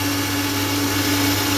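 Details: Household jet water pump on a 20 m bore, after running several minutes: steady rushing roar, rough and air-starved ("snoring"); the jet nozzle hangs above the dropped water level, so flow to the tank is reduced.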